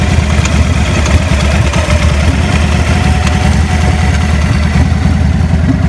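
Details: 2000 Victory V92SC V-twin at idle: ragged, stumbling thump with irregular pops breaking through the beat; rough idle with popping.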